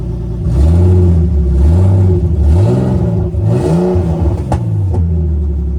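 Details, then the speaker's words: Big-turbo BMW E46 on a new tune, warm, open downpipe with no exhaust; engine revs up and down repeatedly with a loose rattling buzz on top because the wastegate is held on but not tightened, making unnecessary noise. "Also, the waste gauge is not tightened on there. It's held on there, but it's not tight. So, that's making some unnecessary noise."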